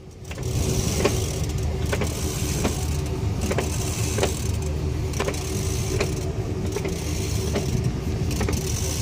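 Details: Sharp ticks about once a second over a low rumble as the driveshaft is turned with the vehicle on jack stands; ticking noise from a 6R140 transmission, cause not yet known.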